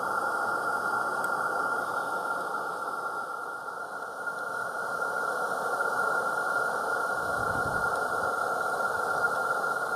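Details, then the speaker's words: Accucraft Caradoc 0-4-0T gas-fired live steam garden locomotive with its firebox door closed: the burner gives a steady, even mid-pitched roar with gentle hiss and no sputter or popping. This is a normal calm burn while building pressure. "so if I just close the door there just let the engine just sit there and let it till it gets nice calm roar on the go and basically just leave it to build up pressure"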